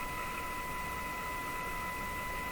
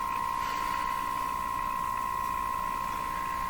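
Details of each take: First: Moffat Crosley G2465 five-tube radio during IF alignment at 475 with a signal generator, after the last two paper capacitors were replaced and the B-minus lead was moved off the chassis: steady clean tone over light hiss, no warble or buzz. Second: Moffat Crosley G2465 five-tube radio, IF alignment at 455 kHz, powered through dim bulb: steady test tone with fast even warble/garbling because signal generator ground was hooked to something other than B minus.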